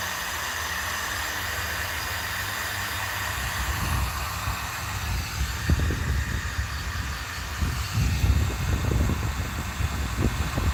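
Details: Force .25 CNC nitro engine during first start and break-in, after pre-heating to about 180–200: small engine buzzing steadily at high pitch with a light crackle, running evenly through its first heat cycle.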